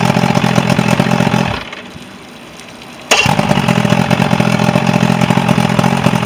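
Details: Quantum-rigged Mercury 90 outboard, previously a no-start, now running after repair: idles with an even beat, goes quiet briefly, then fires straight back up and settles into a steady normal idle.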